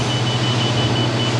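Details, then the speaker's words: Industrial refrigeration air dryer, Inficon D-TEK Pro leak detector; steady high electronic beep pulsing about every tenth of a second over loud hum as it alarms at a small refrigerant leak at one spot. "she does not like it. Let's see if it'll do it again. Nope, it's that one."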